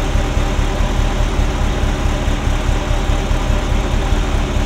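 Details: Ferrari Mondial V8 after a morning no-start: deep, lumpy idle with popping, banging and an irregular thrum like an old marine engine instead of a smooth burble. Timing is out; owner suspects a sensor. Misfire on cylinders 5-8.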